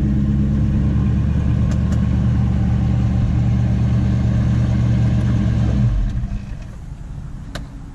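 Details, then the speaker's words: 1985 Ford Mustang LX convertible, 5.0 V8, automatic, parked for three years; not quite a cold start, heard from behind at the exhaust. Deep, even V8 burble with a steady firing beat for about six seconds; sounds healthy and smooth. "you know first time hearing the exhaust from back here not quite a cold start but still pretty much oh yeah oh yeah that sounds good heck yeah"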